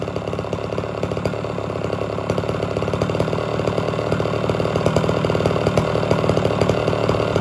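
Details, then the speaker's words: Homelite Super XL chainsaw, restarted without choke after 15–20 minutes off and tuned slightly rich: a steady, even two-stroke burble at idle with no stumbling; normal idle. "I shut it off for good 15 20 minutes to see how it starts without the choke or anything"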